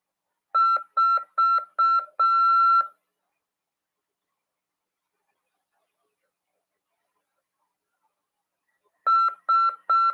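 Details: Morse CW practice tone from a Brazilian amateur-radio course lesson on CW and legislation: a clean, steady high beep keyed in short and long pulses, a long gap, then more pulses.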